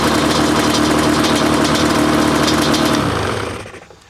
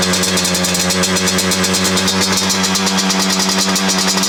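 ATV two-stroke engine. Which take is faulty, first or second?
second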